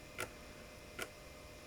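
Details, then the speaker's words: IBM Aptiva 2139 barn-find, late-1990s PC, floppy drive: sharp ticks about every 0.8 seconds over a quiet hum as the heads try to seek but stay jammed; single rail and worm shaft gummed with old grease, regreased. "Yeah, it tries to move the heads, but this thing is still jammed."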